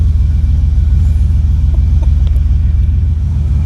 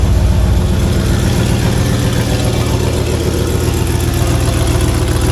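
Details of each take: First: 1985 Monte Carlo with single-turbo 4.8 V8 and 4L80E, restarted after an exhaust leak under the header wrap was fixed from underneath; deep, steady exhaust rumble, even pulses, no puffing or ticking, quieter than before; normal exhaust note. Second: 1985 Monte Carlo with a single-turbo 4.8 V8 and 4L80E, being fixed for not making boost: loud lumpy idle with a sharp regular puffing tick on each firing pulse; exhaust leak, possibly at an unused O2 sensor plug.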